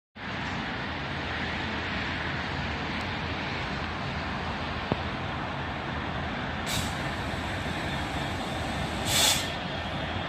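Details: Class 66 locomotive 66727 "Maritime One" passing through Millbrook: steady rushing roar with two short high-pitched squeals near the end; source of the squeak unclear.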